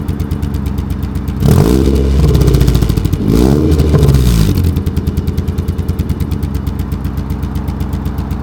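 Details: 1991 Nissan 240SX at idle, revved briefly twice: a lumpy, stumbling beat at about three pulses a second. Owner attributes the misfire to the distributor cap; it idles this badly about once every two weeks. Not confirmed.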